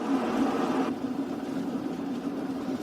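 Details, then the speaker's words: Reinberg electric kettle after its power switch was replaced, heating water: a low, even bubbling rumble that settles as it reaches the boil, then auto-off; normal boiling. "اینجا کتری شروع به جوش کردن کرده است"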